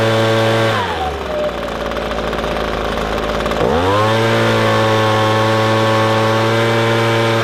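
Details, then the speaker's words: Echo ES-250 leaf blower (same engine as PB-250) after turning the adjustment screw left while running wide open: revs dip briefly then climb to a clean, steady high-pitched full-throttle drone, no bogging; bog fixed. "and that's about all there is to it just adjust that puppy until you hear it clear up and it sounds right"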